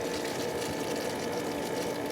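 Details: Pool pump after replacing the failed motor run capacitor (30 µF, 370 VAC) that left it only humming: even, steady hum with water rushing through, no surging or straining; pump motor running normally again.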